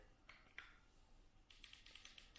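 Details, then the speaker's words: 2002 6.0L LS DBC engine, each fuel injector pulsed by hand from an 18650 battery on a momentary switch: quiet room with sharp, isolated ticks, crisp clicks showing each injector opens; normal fuel injector click. "Do the same thing. I can hear it click. They're working. I can hear it click. So that's a good sign."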